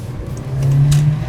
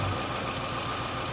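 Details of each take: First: Holy cow. It feels like it's running on four cylinders all of a sudden. Is it really? That must have been really bad before cuz I feel like I have so much more power. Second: Cheap MK4 Jetta four-cylinder idling after a solid dogbone mount was fitted, with a faint uneven stumble instead of a smooth beat; misfire, owner was told a failing fuel injector probably on cylinder 1, not confirmed.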